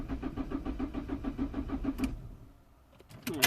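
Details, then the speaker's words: 2004 Citroën C3 1.4 L HDI diesel, code P1164, limp mode. Steady starter chug about 3.5 beats a second that never catches, while rail pressure reads a stuck 78 bar; crank no start, ultimately traced to a faulty fuel rail pressure sensor. "nothing now see he's reading still reading 78 so is the pump actually not giving the pressure or is the sensor not reading"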